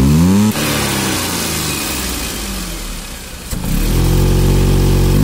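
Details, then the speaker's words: Maruti Suzuki Alto 800, 117,000 km, engine started and throttle applied; note sags and bogs instead of climbing, then returns to idle; hesitation, engine not taking accelerator, pickup lost while running. "यहां पर देखिए जो accelerator है बिल्कुल भी नहीं लेगी गाड़ी"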